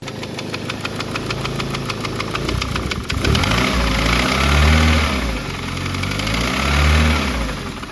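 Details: Big-turbo engine project, rough lumpy idle with a loose irregular knock and wavering revs on blips; owner believes loose coil packs (numbers two and four not making contact) contribute to the changed note. Knock source unclear.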